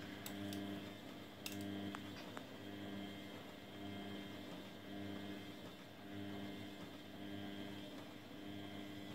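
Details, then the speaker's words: Grundig washing machine during spin: a hum swelling and fading about once a second with a faint rattle, an unusual noise it doesn't normally make; cause unknown to owner. "Die Maschine macht komische Geräusche. Wisst ihr, was es ist? Hört mal, wenn sie dreht."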